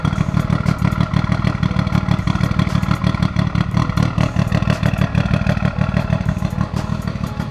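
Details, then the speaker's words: Mitsubishi Evo IX before teardown: steady light ticking about three per second over rough running; ticking began about two months after a melted spark plug, with cylinder one down 30–40 psi compression; cause unconfirmed. "see if you can hear the tick ticks"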